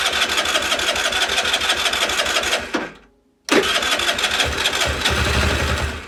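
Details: Longjia 50cc two-stroke scooter after carb cleaning and electrics sorted, run off a 12 V portable jump starter with no battery; had spark and fuel but was slow to start. Buzzy engine catches, dies briefly, refires, settles to steady idle; normal start.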